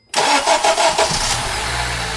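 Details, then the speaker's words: Acura TSX, formerly crank-no-start from an overextended, non-locking timing chain tensioner, after timing chain installation: the starter catches quickly and it fires into a steady, even idle with no knocking or misfire; a vacuum leak remains; normal start and idle. "Well, start right on up, no problem."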